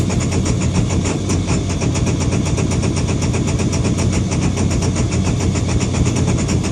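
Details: Deep, throbbing engine idle with a slightly uneven pulse that never quite settles; rough idle, cause not clear.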